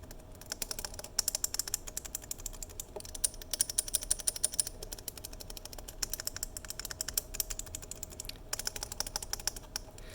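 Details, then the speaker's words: 3D-printed prototype keyboard key switch made with slightly softer rigid plastic and tweaked parameters: rapid soft taps with no sharp click or ringing, properly damped and nearly silent. "so it's just amazing just a few little changes that you can print out yourself to go from ridiculously loud to almost set completely silent"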